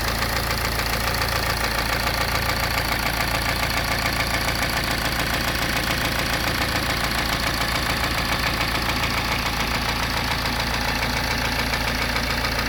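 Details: BMW N47 diesel (520d/320d/120d) at idle with a steady, deep knock about 85 a minute under the clatter. The bottom end has failed.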